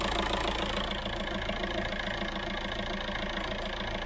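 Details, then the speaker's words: VW Caddy diesel at idle after a solid single-mass flywheel conversion with a new clutch kit: steady, even clatter with the previous knocking/rattling noise gone, so it sounds like a normal healthy idle. "the skeleton doing his thing in a biscuit tin as many of you called it it's gone no knocking noise just a very sweet sounding diesel"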